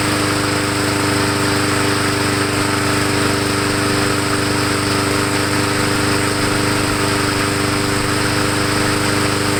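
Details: MTD 22" walk-behind mower after repair with air cleaner refitted, warming up before an oil change: small single-cylinder engine holds a steady, even beat with no misses or knocks; running healthy.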